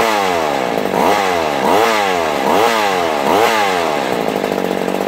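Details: Vintage McCulloch Mac 110 chainsaw, 2.0 CID two-stroke, found sitting in water at a dump, on its first runs: the engine surges up and down about once a second instead of settling. The idle screw has been turned in too far.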